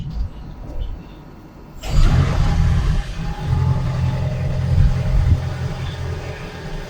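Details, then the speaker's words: Toyota Prius 3 (ZVW30) after cleaning clogged intake manifold, EGR and EGR pipe with new gaskets, fixing a low-rpm rattle: engine catches after brief crank and settles into steady, even idle with no rattle. "yeah and hear the motor run nice around"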